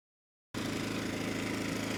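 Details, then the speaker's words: Rebuilt Briggs & Stratton engine, model 210312-0159-E1, with under 50 hours from new when it failed from running out of oil, slight cylinder damage: started first pull, settles into an even, steady beat with no knocks or misses, governor responding well; normal running. "started first pull the engine sounds good and has no issues running at low speed or high speed and the governor seems to be responding well"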